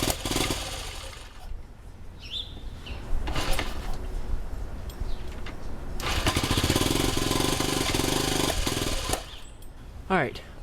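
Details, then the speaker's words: Rebuilt 1971 CT90 with valves set to a loose 0.002 in runs rough, stumbling and surging, and only keeps running on choke; owner suspects an air leak in the old air boot. "And basically, I'm going to get the bike running and then sort of spray the air boot and see if we get a surge or what because basically it only wants to run on choke."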